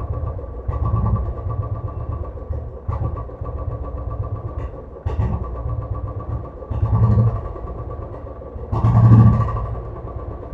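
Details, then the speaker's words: Royal Enfield Classic 500cc single-cylinder: idle stumbles and surges unevenly every couple of seconds instead of a steady beat; misfire at idle, traced to a sensor position adjustment. "500 CC के ऊपर जो meeting की problem रहती है 95परसेंट जिसके भी पांच सी गाड़ी है उसके अंदर मीटिंग की प्रॉब्लम रहती है"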